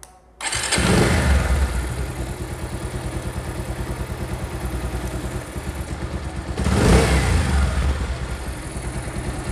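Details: Pulsar motorcycle engine: starts with a thud, settles to an uneven idle with a loose metallic rattle, then a rev blip; noisy top end, cause unclear; engine rattle.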